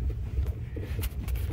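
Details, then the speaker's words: Renault Logan rear suspension after the rear shock absorber nut, previously overtightened and causing a knock, was backed off correctly; while driving only a low even road rumble, no clunks over bumps, rear suspension now quiet and normal. "Сейчас здесь совершенно тихо. А дорога ... я ничего не слышу. Всё в полном порядке."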